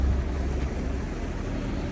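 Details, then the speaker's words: Acura TL Type S running after a mobile mechanic replaced failed catalytic converters: rough, uneven, lumpy loping note that wants to stall; hesitation from the exhaust persists; misfire, owner declares the engine gone. "I still hear hesitation man from the exhaust yeah still hesitation yep it's bad engine is gone"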